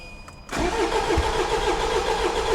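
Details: 2016 Jaguar XE Ingenium diesel: even starter cranking at about four compression beats a second, never fires; about 4 g/s mass airflow while cranking, water-in-fuel code stored; fuel pressure and injectors fine, cause eventually mechanical.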